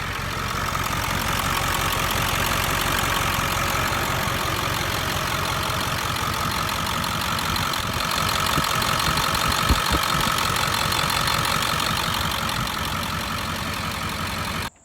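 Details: 7.3L Powerstroke diesel after refitting the serpentine belt with a broken belt tensioner: steady, even idle with regular light clatter and no belt squeal or slap; sounds healthy.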